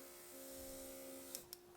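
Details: Quivena airbrush compressor with clogged airbrush: steady low motor hum with a strained tone and a couple of sharp clicks; the clog is in the airbrush, not the compressor, and no air comes out.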